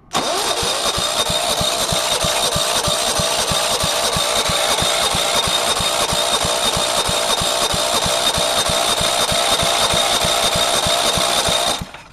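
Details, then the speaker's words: Go-kart with Tecumseh 135 industrial/commercial engine (from a lawn mower), spark plug reconnected: steady starter cranking, about three even compression pulses a second for ten seconds, never catches; cranks but won't start. "sounds like it's trying a bit but remember it says a tumy so it's a 135 industrial commercial"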